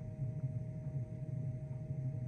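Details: Chinese diesel heater installed in a VW T5/T6 Transporter van, running on a chilly night. Steady low burner rumble with a constant fan hum and no sputtering or surging. Normal running.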